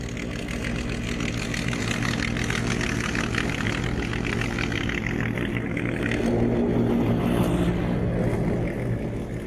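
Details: Etesia Bahia ride-on mower cutting grass and leaves: steady engine drone with the blades whirring and a slight swell as it cuts. Runs evenly; normal running under load.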